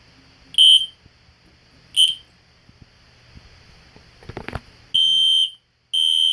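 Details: System Sensor P121575 horn-strobe (15/75 candela) tested on the bench: shrill, piercing horn blasts, two short then two longer with a brief gap; sounding normally.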